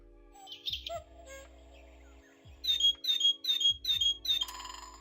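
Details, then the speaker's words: Clock after having an issue: clear repeated electronic bird chirps, about two a second at a steady high pitch; the bird sounds are playing normally. "We've got all of the bird sounds."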